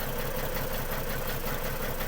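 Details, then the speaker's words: Ford BA Falcon XR6, 390,167 km, left in a paddock 8 years: idle with irregular stumble and uneven beat, running rough from a misfire on one cylinder; coils and spark plugs to be checked. "this is running like a hairy goat so we'll uh pull the cover off and have a look at coils and spark plugs Etc"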